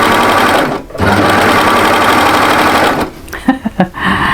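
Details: Overlocker finishing an angled seam on featherweight cotton voile, blade not in use; fast, even stitching whir with a short stop and some fabric handling near the end; runs smoothly and sounds healthy.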